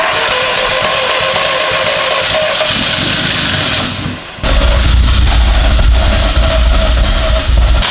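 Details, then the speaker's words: VW 1.8T engine swapped into a BMW E36, first start with the new head package (mild cams): it fires up and settles into a deep, even rumble with clean revving, no knocks or ticks; everything checks out, normal running. "You hear that rumble of those big camshafts? Everything sounds good. Everything's checking out."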